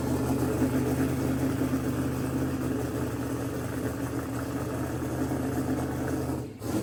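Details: Mississippi Queen after repairing a pulled-out CDI 600 wire with a splice; exhaust pipe very hot. Smooth, even idle, steady low drone, no knocks or misses before cutting off. Runs good, good oil pressure; timing unverified, fuel leaks to seal.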